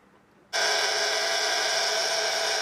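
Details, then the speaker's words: 1930s Carl Haider violet ray machine with saturator electrode: sudden harsh hissy buzz holding steady, lights a neon tube; discharging normally, all electrodes very powerful, owner may attenuate output. "this one's a pretty mean one yeah it is in fact we'll have a look if we bring the neon tube near it yeah you can see it glowing so they're all working they're all working very powerfully"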